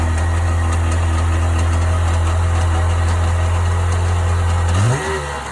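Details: 1998 Sea-Doo GS 720 two-stroke engine idling with a deep drone and faint irregular ticking, then briefly revving and dropping: unidentified strange noise, cause unknown.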